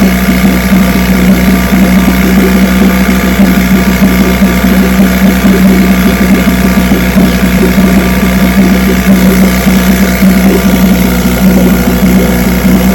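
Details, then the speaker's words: Vintage two-stroke outboard (JV's motor, restored then repaired) on its Monday 5-minute test run after the fuel valve was opened; even, steady idle with a firm low beat, no misses or knocks, running perfect. "Just going to put it on start and motor runs perfect."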